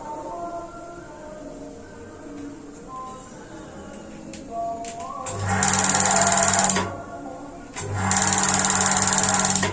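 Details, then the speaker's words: Paloma gas water heater igniter tested with water pressure: quiet stretches, then two bursts of fast, steady ticking. A small diaphragm tear is suspected; it ignites under pump pressure but not at low pressure. "ini saya coba sepertinya memang membrannya di bocor jadi bocornya kecil karena memakai pompa masih mampu"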